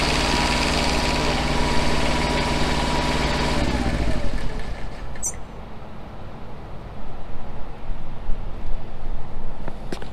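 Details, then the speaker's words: Truck-mounted generator after new generator head and smaller aftermarket pulley, running at about 4100 rpm: fast steady hum, then abrupt cut-out around four seconds and wind-down; overspeed protection shut it off, rpm to be lowered toward 3600. "the generator has a switch in it if it's making too much electricity or if it's going too slow it'll go ahead and turn off and that's what it did we were at 40 100 rpms so I need to back it off just a little bit more"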